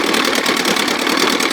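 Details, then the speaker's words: 1957 Montgomery Ward Sea King 5 hp two-stroke outboard, first fired after years unrun, choke just taken off: crisp, rapid, steady buzzing beat, about ten pops a second, idling on the stand. Normal healthy idle. "Yeah, baby. Sounds good. Let it run."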